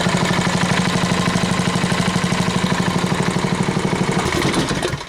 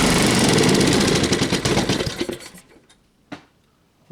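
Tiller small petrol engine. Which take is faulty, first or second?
second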